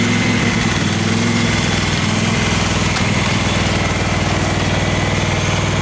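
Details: Craftsman FS 5500 lawn tractor, single-cylinder, idling with an uneven, hunting beat of about four pulses a second. The owner says there is dirt in the carburetor, before cleaning; the breather was already blown out.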